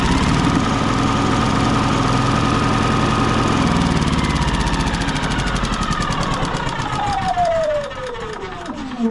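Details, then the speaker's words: Yamaha EF4500ISE generator that runs rough and dies under load, restarted after tightening a loose negative ground wire: note wavers and stumbles unevenly, then falls away at shutdown; still rough, spark plug to be checked next. "Still kind of just not right. I'm gonna pull this plug and check it just for the heck of it also."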